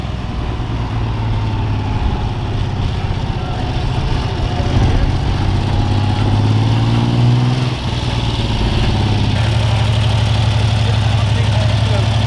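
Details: Freshly restored 1975 Triumph T160 Trident three-cylinder: steady low burble with even firing and a couple of blips, no knocks or misses. It sounds healthy.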